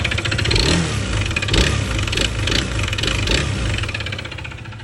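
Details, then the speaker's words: Honda PCX 160 MC taxi, 82,904 km odometer, side cover removed, suddenly very noisy engine: loud, uneven knocking bursts that swell with revs from a worn crankshaft bearing, worn out rather than oil-starved. "Kailangan muna natin mabuksan yung makina para makita natin kung ano nga ba yung mga palitin sa kanya."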